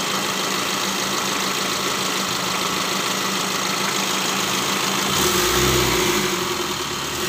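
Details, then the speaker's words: Mitsubishi L300 diesel after engine rebuild (previously rough tak-tak noise, smoking, con rod on cylinder 3 seized): steady diesel clatter at idle, smooth short rev returning cleanly, no knock; normal idle and rev. "Ge untuk hidupnya sudah enak temen-temen yah jadi disini pekerjaan pada perakitan mesin mobil L300 Alhamdulillah sudah hidup mobilnya ya"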